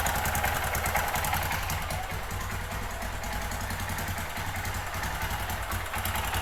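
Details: 2005 Kawasaki Bayou 250 single-cylinder ATV after cheap top-end job, cold first start on auxiliary fuel can: uneven thumping, ragged hunting idle; rough running blamed on bad aftermarket Chinese carburetor, improves once warm; carb to be replaced.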